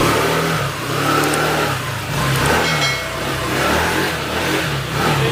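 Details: Honda ADV150 scooter that suddenly stalled and wouldn't start, after repair: engine running and revving up and down smoothly, no knocks or rattles; sounds healthy and quiet.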